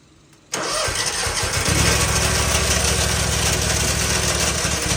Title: Why is my engine making this noise? #viral #lawncare #trending #lawnlife #landscaping #lawnlove